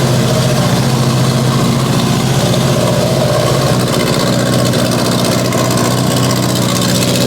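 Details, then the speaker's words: Mitsubishi Evo 8 restoration, just after first start on a base map, no boost controller so wastegate wide open: loud, uneven, lumpy idle with a heavy low drone; running very rich and needs tuning. "kind of like it she needs some adjustment it's dead Rich crazy there's no boost controller on it right now"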